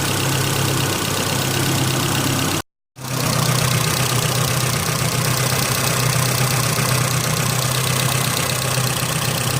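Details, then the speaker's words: Holden Rodeo 2.6 idling after MAF clean and throttle body/intake cleaned with degreaser, previously stumbling; now an even, steady idle with a smooth whirring, turbine-like sound of air through engine and exhaust, no misses or knocks: normal idle. "However, having done that work, the engine does have sort of, I'd describe it as a turbine type of sound. That's the sound of the air coming in and the and throughout the engine and out the exhaust."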